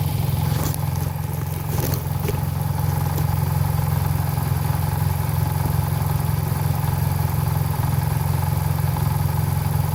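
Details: 2016 Nissan Versa HR16DE engine, 6k miles: steady low idle with light fairly regular clatter about three per second; possible timing chain rattle, unconfirmed.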